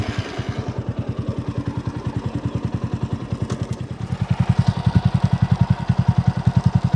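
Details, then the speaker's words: TVS Apache RTR 200 4V after replacing a worn chain-sprocket set at about 30,000 km with new greased original set, engine in neutral: steady even pulses, no rattle or grind from chain or sprockets; normal chain drive. "तो एक बार मैं आपको video घुमाकर दिखा देता हूं कोई आवाज नहीं है चीन की ओर से न्यूट्रल है"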